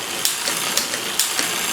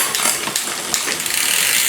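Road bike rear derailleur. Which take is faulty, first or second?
first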